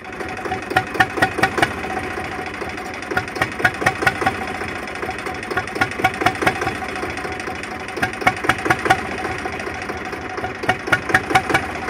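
The idle hunts unevenly, with clusters of sharp pulses every couple of seconds over a steady drone; the engine isn't running smoothly at idle.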